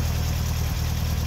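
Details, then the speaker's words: 1964 VW Beetle, 40 hp air-cooled engine, 64K original miles, idling as electric choke kicks down while engine warms; steady low, even putter with no misses or ticking; normal idle. "kicks off the electric choke operates like butter kicks on cold in the morning just like it should kicks down just like it should as the engine warms up"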